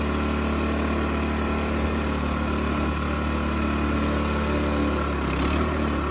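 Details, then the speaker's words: Toro 518 ZE snowblower started to check that the auger stays still at idle with the drive disengaged: steady, even, constant-pitch idle with no knocks or misses; the engine is running cleanly. "i'm going to turn it on and we'll see if it'll idle without the auger spinning"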